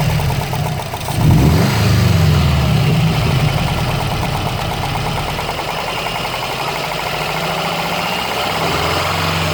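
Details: 2013 Subaru Impreza WRX at steady idle with a loud, quick, fairly even ticking, about three per second, over the engine hum, like a golf ball sliding around inside; it seems near the turbo, but the source is not yet found.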